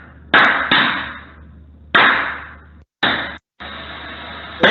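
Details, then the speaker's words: Lithium-ion pack of prismatic cells in a sealed, riveted metal box driven into overcharge: sharp irregular bangs, each with a fading hiss as blast caps vent, cells bursting without immediately igniting, leading to a vapour cloud explosion. "but now we're sending it into overcharge and what you hear are all the the Prismatic cells bursting this is a completely sealed metal box riveted together"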